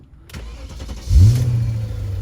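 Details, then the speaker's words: BMW E39 V8 with EWS deleted and broken clutch switch connector; short crank, fires and settles at once without clutch pressed, could start in gear; clutch interlock not working. "because right now you can start it without pressing the clutch which means you could start it in gear and the thing would roll take a look at this"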